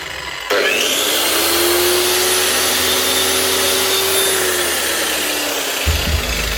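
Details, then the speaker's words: Hikoki G23SC4 wall chaser whose blades have developed play, in for preventive top bearing replacement: steady high-pitched motor whine at constant speed with no grinding or rattle; motor and mechanics fine, head bearing only suspected. "Sounds good enough. There's nothing wrong motor-wise or mechanically."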